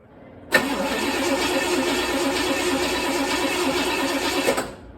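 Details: 1964 Chevelle that had not run in a while, headers off: about four seconds of even starter cranking with no firing. Fuel is slow to reach the carburettor and leaks onto the floor; oil pressure is being checked.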